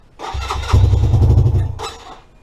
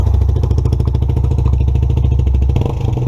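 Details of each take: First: 2017 Lexmoto Adrenaline fuel-injected motorcycle after a crash, new fuel pump and lambda sensor, good spark and clearances: cranks, catches about a second with lumpy uneven beat, then dies; faulty engine temperature sensor reads very high temperature, forcing lean start. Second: 2017 Lexmoto Adrenaline fuel-injected motorcycle after a sensor fix: deep low idle, completely cold, a touch uneven but holding steady without stalling or hunting; running fine.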